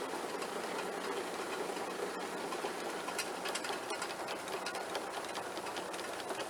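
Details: Allis Chalmers sickle mower converted to 3-point hitch on a Kubota tractor, engaged lowered in working position: fast, even cutter bar clatter with no knocks or binding; noisiest part is the PTO guard. Normal running.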